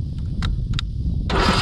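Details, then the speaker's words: Craftsman T130 riding mower that would not crank, after replacing bad fuse (30 A in place of 25 A) and fitting a used battery: a couple of faint clicks, then starter spins engine briskly and evenly; ignition fine, fault was the fuse. "look at that that right there lets you know bad fuse didn't have a bad ignition you just had a bad fuse um unit turns over fine"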